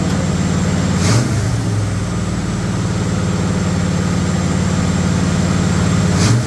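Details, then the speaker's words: Rebuilt 1958 Chevrolet Apache truck V8 just first fired for cam break-in, held at fast idle around 2000 rpm; even steady drone with no knocks or ticks; normal running at fast idle. "Our Matt's truck's running. We just rolled it over. We got it set at 2 grand-ish."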